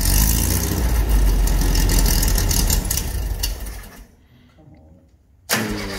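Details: Dune buggy engine after remounting the motor to cure its hopping: lumpy uneven beat about 3.5 per second with chatter, dies and restarts; hopping gone but carburetor not happy, front transmission mount also suspected.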